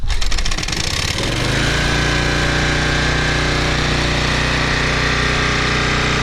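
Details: 2010 Toro Recycler Personal Pace 20333 mower, first start on a new carburetor botched by previous owner (stripped choke screw replaced with makeshift bolt): catches and climbs to a high steady harsh buzz, revving too high; cause unknown.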